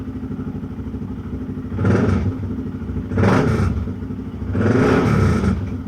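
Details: BMW F650GS single-cylinder after oil tank/airbox bolt replacement and coolant refill: steady thumping idle and three quick throttle blips that rise and drop back cleanly, no clatter; normal revving; the bike has a separate stalling issue at speed.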